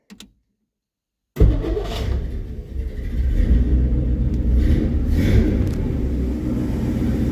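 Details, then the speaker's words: 1963 Studebaker Champ pickup, just after correcting wrong firing order (plug wires swapped), before timing; engine catches after brief silence and settles into smooth, even low rumble, no misfire, a little smoke still but cleaner. Normal idle. "Like a brand new one. And I'm still seeing a little bit of smoke back here. It's way cleaner though."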